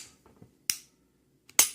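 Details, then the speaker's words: Glock Gen4 G23 .40 cal function check after full teardown and reassembly; dry fire then reset, two crisp sharp snaps with small reset clicks between, clean and positive: normal dry fire and trigger reset. "Then you'll hear the reset. Hear the reset, and then just pull it again."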